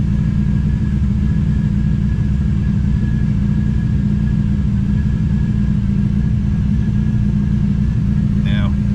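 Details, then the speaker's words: TVR Cerbera V8 running rough at idle with coils and other parts not yet replaced: a lumpy, uneven idle with a stumbling beat over a deep rumble. The misfire was traced to a faulty throttle position sensor. "oh that's enough of that yeah really don't like running it when it's running that bad"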